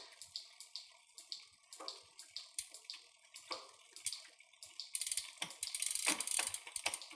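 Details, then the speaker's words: Bicycle rear derailleur (Shimano/SRAM) deliberately taken out of adjustment, mic near drivetrain: light sharp metallic ticks about three a second as chain rubs cogs; not normal. "yes so you hear those noises there bring my mic close to it so that's not normal"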